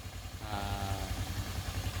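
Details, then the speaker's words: Sniper V3 motorcycle after repair of oil and coolant mixing, warm with radiator fan running, no leaks: even low thumping idle with fan whirring, no valve tick or knock; engine quiet and healthy, normal idle. "buong-buo na ulit yung makina niya, tahimik na."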